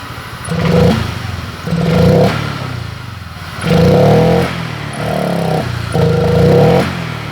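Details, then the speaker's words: Honda Vario 125 LED scooter with hesitant, heavy throttle response: repeated blips, pickup sharpens when extra fuel is sprayed in via the air filter, showing fuel starvation. "hai oke mas bro secara otomatis saya tarik tuas gas seperti ini responnya terasa berat banget responsifnya habis"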